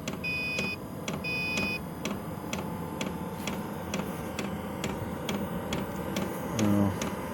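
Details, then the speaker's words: Chinese diesel heater at level three, output around 160°F: sharp, even fuel pump ticks about twice a second over a steady fan hum; fan speed and pumped fuel increased, pump pulsing normally. "160 the fan is increased speed pumps increased the amount of fuel that's pumped through"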